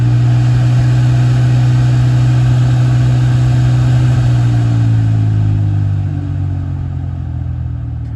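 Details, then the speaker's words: BMW F10/F01-series climate control blower motor with debris such as leaves caught in the fan, AC on: low steady buzzing, vibrating drone easing in pitch as it slows. "It's to get the debris out of the blower motor because that's what's causing the noise."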